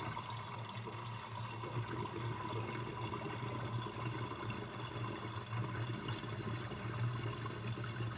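Water runs steadily down the drain with a low, bubbling gurgle underneath; the drain is gurgling, cause not yet known.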